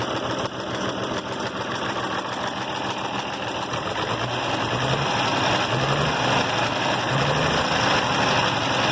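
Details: IH Farmall 706 tractor after new carburetor install and mixture adjustment: even, steady idle around three to four firing beats a second, settling smoother with no stumbling; normal idle.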